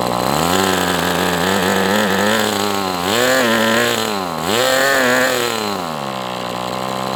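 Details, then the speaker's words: MDS 68 FS Pro glow engine on a break-in run with an OS No. 8 glow plug: sharp buzz rises and dips then settles to a steady idle; slightly rich low end may hurt transition. "But look, I mean, it's idling. It may not have the best transition because it's a little rich, but I mean, it can't be too rich or it wouldn'"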